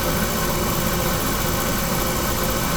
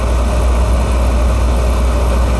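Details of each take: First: Carlin oil burner blowing black soot, owner-serviced: steady roar with uneven pulsing rumble and a surge, firing rough; pump pressure to be checked next. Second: Carlin oil burner with running issues, after a change: steady, even low rumble with no surging or pulsing; now firing much smoother and running clean without smoke.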